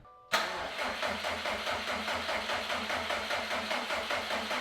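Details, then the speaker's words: Rebuilt Subaru STI after coolant refill: steady starter cranking at about two and a half turns a second with no catch or firing; crank no start because the tank was nearly empty and the fuel pump fuse had not been reinstalled. "did forget, this car was extremely low on fuel when we started, so let's add some fuel and then we'll try again. Along with forgetting to add fuel to the car, I also forgot to reinstall the fuse for the fuel pump, so that might help as well."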